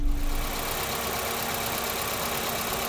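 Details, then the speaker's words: Volvo 960 electric cooling fan after repair: the motor was serviced and worn bushings replaced with bearings. Steady, even airflow hum with no wobble, rattle or scraping; now runs much smoother. "So the motor was serviced and the old bushings were replaced with bearings. And this is how it runs now."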